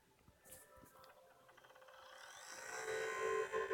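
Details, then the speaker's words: PS4 Destiny bundle console, new out of the box, lying flat on glass: inserting an undamaged disc brings a loud rising mechanical whir and steady whine, also when vertical; abnormal disc drive noise, console replaced. "I just bought this yesterday it straight out of the box and I got freaked out as soon as I heard this noise um it can be I don't think a normal system gave me this loud"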